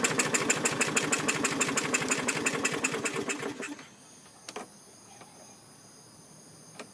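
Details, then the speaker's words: 2017 MTD push mower with Briggs engine, rusty spark plug tip and suspected moisture in cylinder, slow fuel to carburetor: chugging about three beats a second for nearly four seconds then dying; hard starting, cause unconfirmed. "so so so that kind of had me worried really slow to start i don't think i've ever had one slow that"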